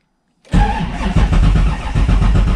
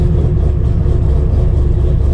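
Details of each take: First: 427ci 7.0L LSx V8 in an RX-7, first start after five months of winter storage, fuel pump primed, no throttle: runs rough and uneven about five seconds, then stalls. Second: 7.0L 427ci LSx V8-swapped RX-7, first start after sitting five months, third attempt after stalling, no throttle: deep lumpy big-cam V8 idle rocking back and forth in a steady lope, no knocks or ticks; normal lopey cam idle.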